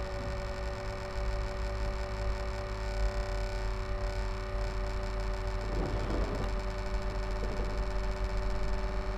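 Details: HP Envy m6 laptop cooling fan making a strange steady low hum with a few fixed tones, a constant odd drone; abnormal fan noise, cause unknown.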